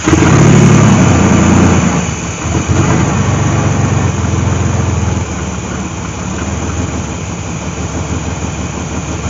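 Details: 1998 GMC Sonoma 4.3-litre V6, revived after sitting for years in swamp grass, transmission not hooked up: rough, uneven note settles into a steady run after starting; the engine runs good.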